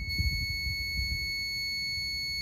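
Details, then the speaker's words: Fluorescent light T12 two-bulb ballast tested with meter on continuity against common white neutral: steady beep on blue lead, reading 10.6 ohms where it should be open; ballast bad, replaced. "we're going to check this blue you hear that it's beeping that means this is no good"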